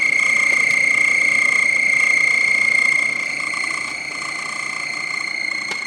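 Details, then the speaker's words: BMW E30 blower motor (heater fan) removed for squeaking ventilation: steady high-pitched squeal near 2 kHz with fast warble as the fan spins, from dry sticking bearings. "bon du coup c'est cette pièce là qui fait du bruit quand elle tourne"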